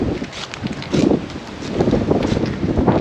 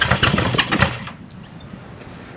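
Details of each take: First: 1974 Honda CB550 four on first start during restoration, fuel syringed straight into the cylinders bypassing the carb floats and bowls, points issue found earlier: ragged, uneven firing catches, runs briefly, then fades; possibly on leftover starting fluid rather than its own gas. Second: 1974 Honda CB550 during restoration, first start on brake cleaner sprayed into the carburetors: quick, even firing for about a second, then dies as the cleaner burns off; engine sounds like it truly runs.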